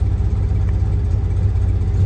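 Low, steady tick-over with an even beat and nothing knocking or hunting; a smooth idle with the vacuum advance hooked up.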